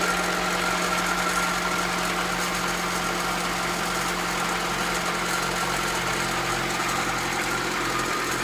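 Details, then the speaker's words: Acura Integra B18B1 engine recorded before valve adjustment: light, fast ticking over the idle that quickens when revved; owner says it needs valve adjustment, consistent with excessive valve clearance causing tappet clicking. "Just wanna record the sounds before valve adjustment, and it can check the difference."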